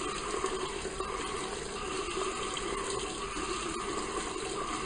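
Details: Bathroom water tap running: steady water rush with a faint tone that swells and fades in a slow "wow-wow" pulse, cause not clear.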